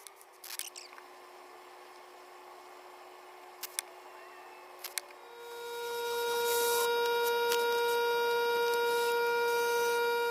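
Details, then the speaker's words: Air compressor with the motor off: quiet room, then a steady high hiss builds and holds; compressor bleeds air down through a failed governor. "Alright guys, sorry for the hissing in the background. The governor's gone bad on my air compressor. Anytime the motor is not running, it starts bleeding off."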